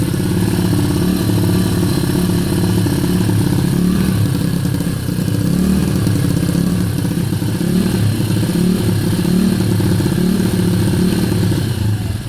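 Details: Kayo YX140E Klassic pit bike single-cylinder engine, throttle opened a bit more then held steady: revs swell and sag in slow waves with occasional stumbles; hunting idle and misfire, cause unknown.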